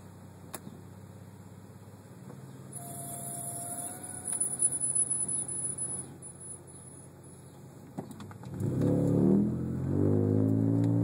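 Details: Subaru SVX rolling along: thin, piercing high brake squeal, seemingly from the passenger side, fading as engine noise rises; over 400 miles driven with no braking problems.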